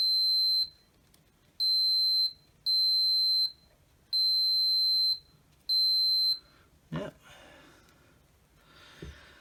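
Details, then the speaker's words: Milwaukee M18 CHPX-0 SDS hammer drill, dead apart from the front light, main switch contacts tested with a meter: five clean high continuity beeps as the probes touch; switch contacts closing. "i'm just gonna get my test meter and we'll just check that this main switch is actually making contact"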